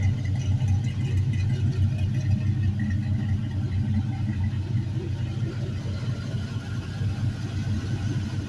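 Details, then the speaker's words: 5.3L LM7 Gen 3 V8, 140k miles, idling on a test stand; smooth steady low rumble, quiet lifters with no top-end tick, no belt squeal, no smoke, oil pressure 38 psi. "smooth lifters are super nice and quiet I love how quiet this one is no smoke"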